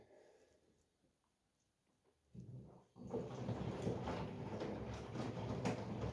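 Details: LG washing machine after repair (drum and door seal cleaned, counterweight refitted, felt applied, silicone sealed and cured overnight): near silence, clunk, then steady swishing and drum churning with soft regular beat; washing normally.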